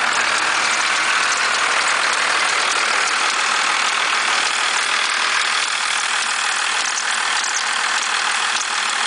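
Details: 1991.5 Dodge Cummins diesel at idle with a rough, uneven chatter of two to three beats a second over a clattery hiss; the belt tensioner visibly bucks at idle, and the noise disappears as rpm rises.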